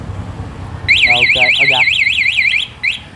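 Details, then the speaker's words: Used motorbike with original, quiet engine and a remote anti-theft alarm: loud warbling siren sweeping up and down about twice a second with short chirps, then stops; alarm working normally. "Đây sao gỡ ra đây cái có đây, cái chống trộm luôn nè. Chíp chíp chống trộm."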